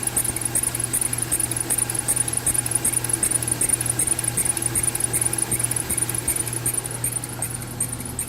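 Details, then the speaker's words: 2012 Mercedes-Benz C300 engine bay: fast, high chirping squeak repeating two to three times a second over engine hum, unchanged after replacing tensioner, pulleys and belt; source still unknown. "the pulleys being changed pulling me changed over there and i'm still hearing the same exact noise so right now i i'm not even sure what else i need to do to get rid of that"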